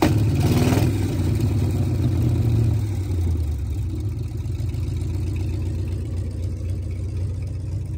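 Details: Four-wheel Alvis Stalwart petrol engine, first start in over 30 years, throttle linked by twine to the original pedal: brief blip on start, then a steady, even idle with no knock or clatter, oil pressure up; normal idle.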